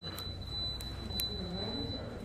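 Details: Air conditioner in a spa beeping continuously: thin, steady high-pitched tone over low room hum with a few sharp ticks; beeping later stopped after service.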